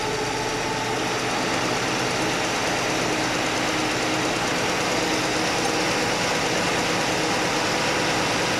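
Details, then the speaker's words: Chevy Nova straight-six after repair: even, steady idle with smooth mechanical whirr and no clank; the single rocker arm was readjusted, backed off from 3/4 turn past quiet because that ran rough, now normal idle. "All right, guys, good news. It's not clanky anymore. It was just the one rocker."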